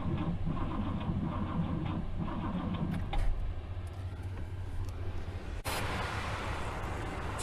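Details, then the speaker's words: 1964 Buick Riviera that sat 23 years in a field, tried with extra current and a little gas. The starter churns and the engine tries to catch, then cranking drops away and it won't keep running; the worn starter's bendix disconnects when it fires, so the starter must come out. "all right so the starter is just too too bad too too far gone as soon as the engine starts to fire the Bendix disconnects and just won't go"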